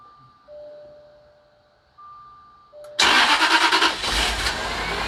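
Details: Jaguar XJR after alternator replacement, late-night start: a few dash chimes, engine catches at once and settles to even idle, old whine gone, charging 14.22 V; healthy.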